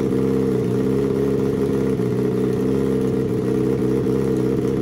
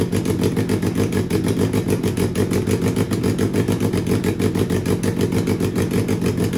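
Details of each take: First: Turbo Suzuki Hayabusa engine in a homemade car, tuned with Power Commander/AutoTune at 2000 feet: fuel leaned for smoother idle but left slightly rich for shipping to sea level; smooth, steady idle with no hunting or stumbling. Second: Turbo Suzuki Hayabusa engine with Power Commander/AutoTune, first start: lumpy uneven idle with irregular pulses around three a second, no steady beat; running rough and super rich.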